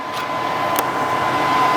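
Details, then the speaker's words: Thermodynamics plasma cutter after replacing faulty 220 V plug, after test cuts on scrap: smooth steady airy hiss with faint constant high tone, no sputter or cutting out; normal running. "So it looks like it works. We're back in business with the plasma, which is nice. Alright, I'm happy with that. Seems to cut good."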